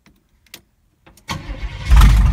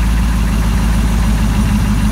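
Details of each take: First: Z20 V8 after a fuel hose was fitted and fresh gas added, air conditioner on: fires after cranking and settles into a heavy, lumpy, uneven idle; ignition timing suspected, sounds better once adjusted; fuel hose still leaking. Rough running after start. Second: Z20 car after fuel hose repair (hose still leaking), air conditioner on: deep, steady idle with even low rumble, no stumble; timing first sounded low, now set higher and sounds better; normal idle.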